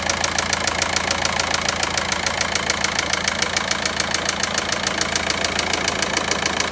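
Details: Volkswagen Passat 1.9 diesel engine: sharp, even ticking about three to four times a second over a steady idle; clear engine knock of undetermined cause.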